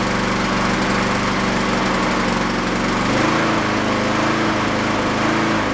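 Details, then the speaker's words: Used Honda mower engine after fitting a slightly larger jet: pitch keeps rising and falling every second or so, surging from a still-clogged carburettor idle passage. The jet barely helps. It runs decently on partial choke to cut grass. "well as you can see I can't get rid of the uh oscillation in it without that idle circuit but there is a point where you run it partial choke"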